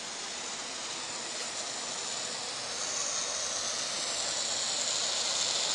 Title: VERY LOUD NOISE HISSING FROM STEAM HEATER ANTIQUE